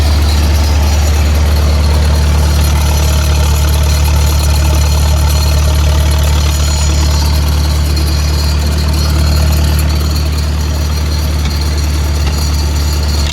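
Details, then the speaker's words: Lincoln SA-200 welder on a second-gen truck, at raised idle: steady even low rumble, no knocks or misses; quiet, smooth, quieter than 2-cylinder Millers and Lincolns. "Super nice machine. I love using it. quiet, smooth running machine. A lot more quiet than the 2-cylinder Millers and the Lincolns."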